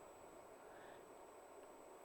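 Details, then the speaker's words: Alta Labs S48-POE network switch after fitting Noctua 3-pin fans: a soft, even rush of air with a faint high tone, no rattle or buzz; plenty of airflow, far quieter than stock. "I can hear it. There's lots of air coming out of here, but it's way quieter. Holy, What a huge difference."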